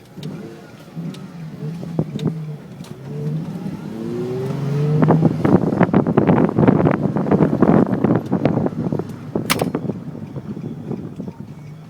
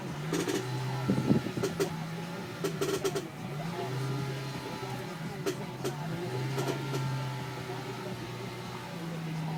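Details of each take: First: Nissan 350Z after rear end links were replaced with Whiteline versions to fix a creak: engine revs and car pulls away smoothly over bumps with no creak or knock from the rear suspension; fixed. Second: Nissan 350Z rear sway bar end links (worn stock parts, later replaced with Whiteline): irregular creaks and short knocks in bursts while rolling over uneven ground. The worn rear end links are creaking.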